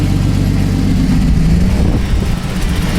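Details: 1982 Datsun 280ZX six, abandoned and just revived with a fresh battery and a little fuel, idles with a deep, fairly steady low rumble, a little uneven but running on its own; normal idle.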